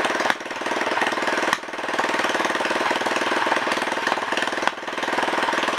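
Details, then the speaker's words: Honda ES4500 generator engine, test fired after rebuild with no exhaust fitted: loud run with a quick, even crackle of firing pulses and no knocking. Runs normally. "sounds good guys looks like we got a running motor again"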